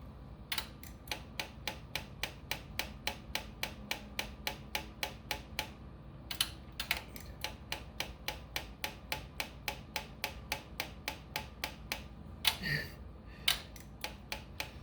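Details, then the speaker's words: Honda Ruckus scooter that died and wouldn't restart, fuel line disconnected and key turned on to prime: sharp dry clicks about once per second with very little fuel flow delivered; weak, failing fuel pump. "Not getting much out of that thing. So I think my fuel pump may be crapping out on me."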